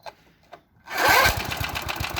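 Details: 36-year-old restored mower, single-cylinder engine, cleaned spark plug, fuel tank cleaned and refilled, at half throttle: catches after a couple of pulls and settles into a steady, even putter; running cleanly.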